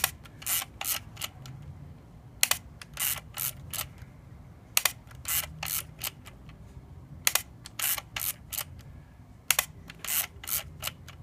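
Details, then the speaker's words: Olympus XA2 camera: bursts of sharp shutter clicks and winding, shutter intermittently fails to fire on a press, then fires on the next picture; intermittent shutter misfire. "there you go it misfired see it didn't it didn't fire the shutter there now it did fire on to the next picture yeah like I said it's an intermittent problem it doesn't happen all the time but it does happen"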